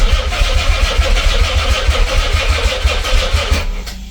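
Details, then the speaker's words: Nissan 300ZX twin turbo, sitting for 12 years, after clutch and fork work, with the fuel pump still priming and the battery going flat. Starter churns about three beats a second, uneven and sagging, never catches; slow cranking from a weak battery. "All right, let's see if she works. Now my battery is getting dead. Still probably pumping fuel to the front."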